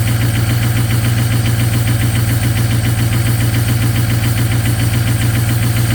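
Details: Ford 6.0 Powerstroke diesel at -2°F, glow plugs cycled, cold start into high idle with partially gelled fuel: loud clatter with uneven, missing-like pulse; lost power on highway, cleared after anti-gel and topping up the tank.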